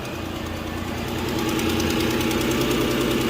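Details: 2014 Ford Explorer, cold start idle, exhaust smell from engine; fast sharp ticking hiss about three pulses a second; a manifold bolt found missing, though cat leak also suspected; possible exhaust manifold leak.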